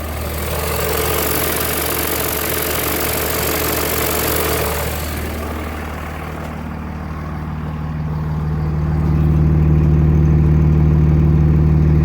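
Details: 2003 Cummins, 176k miles, stock injectors, Smarty Touch tuner on level 5. Once warm on a 60+°F day it stays on a fast, loping high idle that can be brought down with the exhaust brake. Owner suspects a bad injector.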